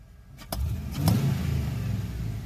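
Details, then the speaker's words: LS-swapped 1955 Cadillac with 6.0L LS engine, 4L60E transmission and PSI standalone harness fires right up into a steady deep rumble with clean blips, no knocks or misses; about 40 psi oil pressure, 198° temperature; running healthy. "She fires right up. Pulling about 40 pound oil pressure. 198 on the temp."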